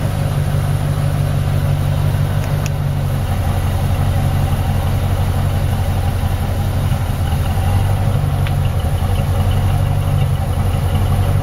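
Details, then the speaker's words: 1986 Mercury Grand Marquis LS, 33 years old, original engine, fuel pump and transmission, idling after first start of season, heard at the exhaust: smooth, even constant low drone with no stumble, ticking or rattle; healthy idle. "33 years. Still runs like a top. Original engine."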